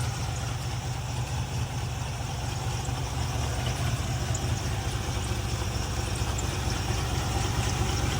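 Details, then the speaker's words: 1967 Ford Bronco U15 with original 289 V8 and three-speed manual, stored about 20 years, now with new carburetor, serviced points, new alternator, starter and regulator, no smoke: deep, steady, even idle rumble with no misses or knocks; normal idle. "Motor sounds great. And I'll fire it up, have you guys hear it."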